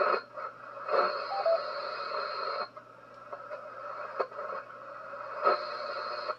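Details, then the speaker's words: HF radio receiver: a pulsing, buzzy interference noise with warbling tones repeating every few seconds over hiss, present everywhere on the band wherever tuned, leaving HF unusable; source unidentified. "it's everywhere it's literally freaking everywhere that's the center right there no matter where i go that noise is there"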